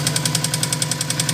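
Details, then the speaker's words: Subaru WRX 2.0 L, fully forged engine, after a car wash that may have got water in: sharp, even tapping about ten times a second over a steady idle from the middle of the engine; others suggested piston slap, unconfirmed. "start it you hear that tapping sound should it be there"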